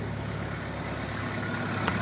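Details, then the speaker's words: Fire-damaged Mercedes A-Class diesel idling cold: steady low rumble with uneven, lumpy note and heavy smoke; owner suspects a couple of non-working glow plugs, possible leak underneath. "As you can see, and here it runs really [ __ ] when it's cold. That's because we probably have a couple of glow plugs that are not functioning."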